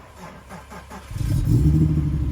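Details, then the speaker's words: 1994 Acura Legend GS 6-speed sedan, project car checked at a shop: brief starter cranking, then the engine catches cleanly and settles into a smooth, even low rumble. Normal start. "Yeah, there she goes. It's alive. Sounds good. Here's the car at idle."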